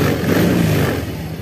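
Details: Yamaha Fazzio scooter (made March 2022) running after a start on a recharged battery at 12 V, charging about 13.8–14 V: short, steady engine note with no misses or knocks; runs smoothly and healthy.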